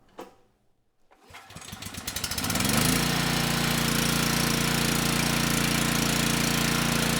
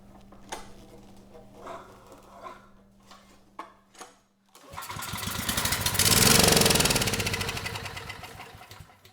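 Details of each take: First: Generac WheelHouse 5500 W generator with Briggs & Stratton engine 204412, after coil replacement and tube replacement, choke on: pull-start catches and settles into a steady, even drone; normal running, 123 V output, speed a bit slow at 58. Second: Generac WheelHouse 5500 W generator with Briggs & Stratton engine 204412, choke on, airbox off, start attempt: clicking, then catches and roars about two seconds blowing out grass, then dies; stall from ignition loss.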